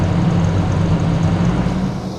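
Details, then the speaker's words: 1988 Jeep Comanche idling before a test drive: low even idle hum, no ticking or stumbling, settling slightly quieter; owner says it doesn't sound too bad. "but i've got it running sounds doesn't sound too bad"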